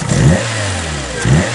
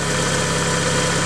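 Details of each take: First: Citroen Saxo VTR, just after exhaust manifold and catalytic converter install, revved while checking for manifold leaks. Four quick blips about a second apart rise and fall cleanly with no ticking or puffing; the engine revs freely and the exhaust is sealed. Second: Citroen Saxo VTR idling after installing a new exhaust manifold and catalytic converter: steady idle with a faint rapid puffing under the exhaust note, pointing to a small exhaust leak, probably at the manifold.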